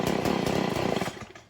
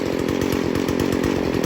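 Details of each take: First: Stihl FS 40C two-stroke weed eater at idle after the low-idle screw was turned about an eighth turn clockwise: uneven putter that fades and dies, a lean idle stall from too little fuel. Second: Stihl FS 40C trimmer after low-speed screw tuned back an eighth turn at a time from rich bogging: fast, even two-stroke idle holding steady speed, set right and running clean.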